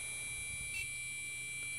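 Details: Gigabyte motherboard in a Core 2 Quad build makes a long continuous beep at power-up. Shrill, unbroken beep from the board speaker; cause suspected, not confirmed.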